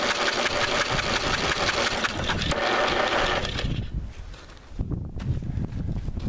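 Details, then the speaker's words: 1985 Lawn Chief mower, 11 hp Briggs & Stratton, spark plug out, PB Blaster in the cylinder, cranked with a 150 A booster: a quick, even starter whir for about three seconds with no compression chuffs or binding. The engine turns over freely. "I would say that crank pretty good I wonder if we'll get any spark out of this thing"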